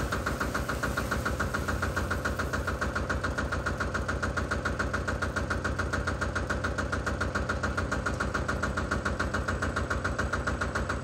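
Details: Single-cylinder Lister diesel on a Benford TS25 radial swing concrete buggy, recently repaired, fresh oil, low hours, new tires. Steady, evenly spaced thumping chug with no misses or extra knocks; running healthy.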